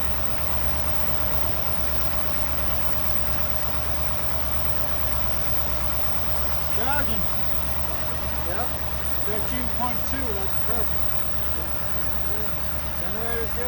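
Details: 1964 Buick Riviera V8 revived after sitting 23 years, warmed up with idle raised; smooth even low idle with steady exhaust burble, no misses or knocks, healthy warm idle.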